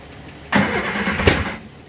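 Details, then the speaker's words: Barn-find Triumph Spitfire with clogged carburetors roughly rebuilt and new jet fitted, cranked with slight throttle on a chilly evening: rough cranking about a second, one sharp backfire pop, engine won't catch. "yep there's a backfire [Music] yeah it doesn't really want to do anything right now"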